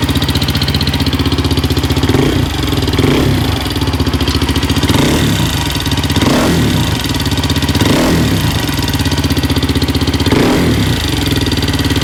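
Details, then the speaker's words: 2004/2005 Suzuki LTZ 400 single at idle after timing chain tightened; failed valve guide job by another shop: fast ticking chatter, loudest on exhaust side; shim beating on keeper. "chatter so I may take the tank back off and uh go back in and check the shims out one more time"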